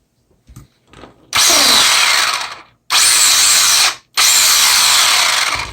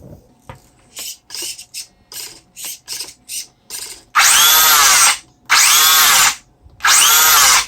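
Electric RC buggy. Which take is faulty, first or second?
first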